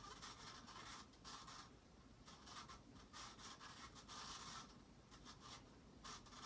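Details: Casablanca Panama ceiling fan dated 5/25/1993, rusty and possibly left in the rain, running at speed 4: dry, uneven scraping rasp swelling and fading each turn; bad bearings dragging and limiting movement.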